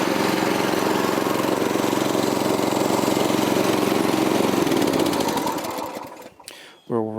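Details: 1984 Troy-Bilt tiller with 6.5 HP 212cc Predator engine on a replacement spark plug, later found loose and tightened: steady, fairly quiet putter with no knocks, then winds down at shutoff, sounds no different from last year; normal idle.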